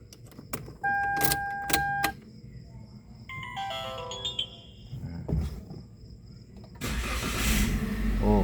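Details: 2017 Toyota Avanza G started with a spare key just registered as master key via a Thinkscan 689BT immobilizer update: chime tones and clicks, then the starter cranks and the engine runs steadily, a normal start; the key's lock/unlock buttons still don't work.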